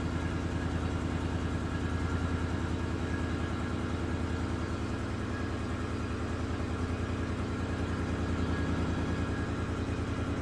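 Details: 2018 GMC Sierra 1500 5.3L V8 after S&B cold air intake, L86 intake manifold and LT5 throttle body install, idling during throttle body relearn: smooth, even idle with steady low pulse about three beats a second, no stumble or hunting; healthy, no check engine lights.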